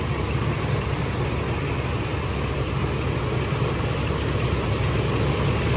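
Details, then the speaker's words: 1982 Camaro V8, original, long-sitting, idling with a constant airy roar over the idle; fan clutch seems locked up, owner unsure if clutch is bad; also leaking coolant from a hose, needs new cap. "It's pumping that noise. The clutch is like clutched up. I don't know if the clutch is bad."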